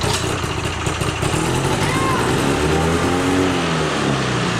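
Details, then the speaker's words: 1978 Polaris Cobra 440 two-stroke snowmobile, sitting about 20 years, first start after getting spark, key on: engine catches and runs a few seconds with an even, quick putter that settles down, smoking a little; healthy start. "Smokes a little bit, that's what's supposed to be because it's 2 strokes. Just starting. Nice! Started! Sounded good."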